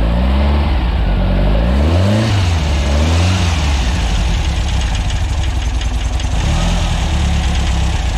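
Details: VW air-cooled 2332cc stroker flat-four (Weber IDF 44 carbs, Engle FK42 cam) in a 1966 split bus during break-in, after carb adjustments and a fuel pump wiring fix: a steady, even low thrum settles into a smooth rhythm without misses; it idles well, fan belt slightly loose.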